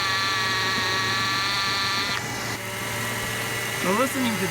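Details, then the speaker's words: 1993 Chevy Lumina APV engine running, mechanic's stethoscope held to the microphone at the front accessory drive: steady high whine, the belt tensioner idler pulley loudest, worn bearing suspected; replaced afterward. "it's actually the idler that's the loudest thing we've got going on here."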